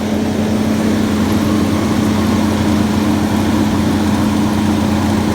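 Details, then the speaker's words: 1962 Chrysler with original A/C compressor, being charged with refrigerant, idling with a brand new fluid-drive fan clutch: steady even idle under a strong smooth whoosh of fan air, no roar or wobble; engine and fan clutch healthy, fan pushing lots of air. "Now, he has a brand new fluid-driven clutch on there, and you can hear it and you can feel it. That sucker is pushing some air."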